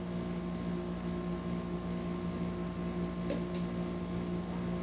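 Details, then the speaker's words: 56" Dayton/Sanyo industrial ceiling fan on low speed: steady electrical hum with rough gritty rumble from worn but salvageable bearings, better than before. "um this one here they're savable but they're very noisy as you'll hear um a lot better than what it was before"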